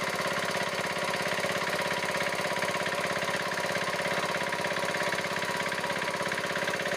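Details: Diesel engine idling with a quick, even, crisp chuffing beat and no puffing or stumble, after the rocker set was adjusted to fix a loose adjusting nut that had caused puffing through the air cleaner and white smoke; it now sounds healthy.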